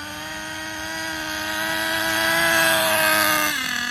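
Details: Schumacher Menace nitro RC car on new tires, last of its nitro. High nitro whine climbs unevenly, then drops sharply as revs sag; the high end needs tuning, and excess oil in the exhaust was ruled out. Poor running at high speed.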